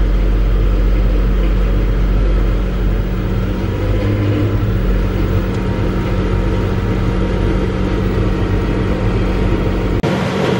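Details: Massey Ferguson 40 combine (possibly 1996), sat 3 years, fuel and electrics refreshed, running with the small clicking lift pump; deep steady diesel rumble, even heavy beat, no knocks or misses, shaking the machine considerably; normal running.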